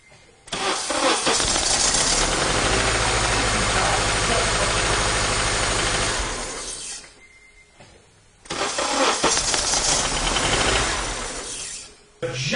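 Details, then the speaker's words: Car cranking with the microphone placed nearby; the car has no clear-flood mode: long cranking bursts with an uneven, lopsided rhythm and no catch. Diagnosed as a definite compression problem. Low compression. "it should be blatantly obvious to you if you have even watched a handful of videos on this channel that car has an absolute definite compression problem and that is um going to be bad news for sure"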